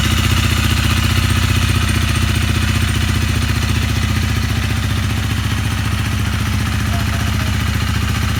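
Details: Honda CRF250L, 3851 km, after the piston, rings and cylinder were replaced because of a broken piston ring. Even, regular single-cylinder idle pulses with no knock or ticking. It idles healthy after the repair.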